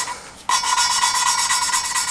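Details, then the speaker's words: Lapping a valve on a 2JZ-GE VVTi head with compound down to a fine 220: a fine, even rasp with quick regular strokes; the tone has changed markedly as the grit wears down, so the lapping is nearly done. "but you hear how it's changed tone significantly and then it goes back to Grit keep working it so I don't have much of that grit left that's p"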